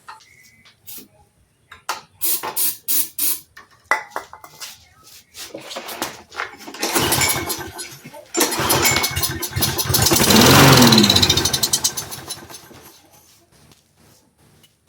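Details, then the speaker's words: Roadside-found Troy-Bilt push mower with auto choke, after freeing a stuck part: pull-start clatter, engine catches, runs rough a few seconds and fades out; fires briefly then dies. "Guys, I wasn't expecting that as much as you were. Did not think she was going to go ba-ba-boom as soon as we did that. Now she says no."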